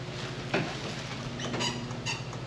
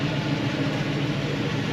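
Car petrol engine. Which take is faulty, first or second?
first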